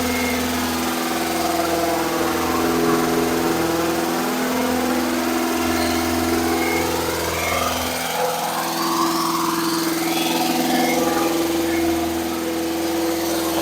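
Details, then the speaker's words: Engine at raised speed for cam break-in, third start-up attempt, cranked via screwdriver at starter: smooth even drone, no knocking or misses; battery about 18 V; oil leak at switch; running normally. "seems to be doing really good good so far"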